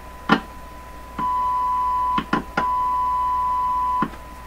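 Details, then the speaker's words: Canadian Crosley 12B radio checked with a signal tracer: a clean, steady test tone between switching clicks, no mains hum, unlike the second radio, which hums; this audio stage sounds healthy. "This one comes with a hum. what sounded like a touch of Morse code in there. There's no hum over here."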